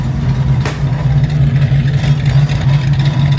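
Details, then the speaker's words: Fastback Mustang V8 after conversion to modern electronic fuel injection with new in-tank fuel pump, timing, distributor and plug wires, at operating temperature; deep even burble at steady idle, no misses or ticks; normal idle. "Listen to this thing. It's It couldn't be more happy just sitting here. Chilling."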